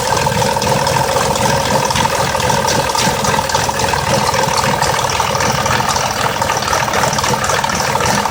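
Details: 2004 Mazda 6s 3.0L V6, 170k miles, new plugs and coils, pre-cats just replaced (were nearly fully clogged): busy, uneven rough idle with light ticking/rattle; owner suspects a bad bank 2 VVT solenoid.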